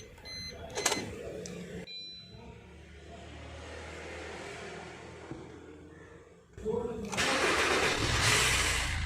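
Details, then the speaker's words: Maruti Suzuki Ertiga after programming a single replacement key transponder chip: after a quiet spell the engine catches quickly and settles into an even, steady run with no misses or knocks; no fault codes or malfunction lights, normal start. "गाड़ी starting एकदम normal है, तो हमारा ये काम पूरा हो गया।"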